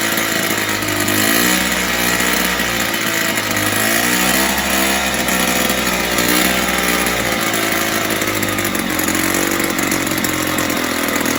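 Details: 1970s Puch Maxi E50 50cc two-stroke moped engine bench-started with parts missing, carb leaking slightly: loud buzzy ticking over unevenly, beat wavering and hunting; idles rough, owner thinks carb needs cleaning and tune.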